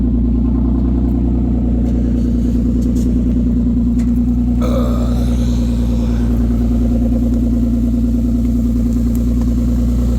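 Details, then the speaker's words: 2016 Nissan Maxima at 301,000 miles, idling very loud: deep rumble with an uneven puffing beat as exhaust escapes through a hole about that big on top of the rotted pipe; to be cut back just before the flange and rewelded. "The exhaust on this rotted out in a real real bad spot. Okay. So, this car has 301,000. Let's go see where this is leaking at."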